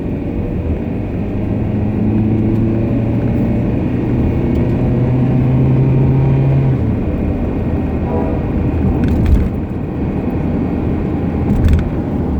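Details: Car driving: a low, steady hum-whine rides over road noise, then drops away off load. It comes from a differential whine present for about six months and a wheel bearing noise for about two months. Still being driven.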